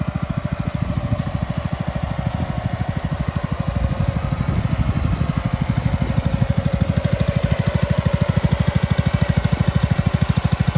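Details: Red 1962 Bolens Ride-a-matic tractor, small petrol engine, after repairs, driving outside: steady regular firing pulses with even beat, no misses or knocks; normal running.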